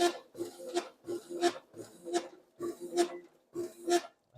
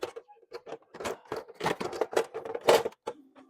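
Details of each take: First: Copier document feeder feeding paper: sharp high squeaks repeating about every 0.7 s; front cleaning roller bushing dry and tight, binding, oiled and retested. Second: Konica copier document feeder after oiling dry cleaning-roller bushings: light irregular clicks and soft whirs as sheets pass, no squeal or grinding; normal paper feed.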